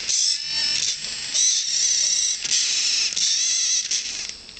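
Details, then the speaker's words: Blitz RC Works Rogue 500 RC helicopter after a minor crash: the rear servo gives a high, thin buzzing whine in on-off bursts with faint ratcheting, as if overdriven. The right servo does not move at all; cause not confirmed. "uh want to see show you exactly what the servos do and you can hear this funny little noise it's almost like they're being overdriven that's that rear servo"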